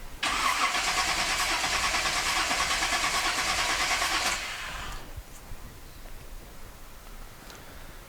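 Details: Small block Chevrolet 250 cranking on a compression tester after valve lash adjustment, checking the neighbouring cylinder (about 150 psi): even cranking at about three turns a second for four seconds, steady with no hesitation; normal cranking.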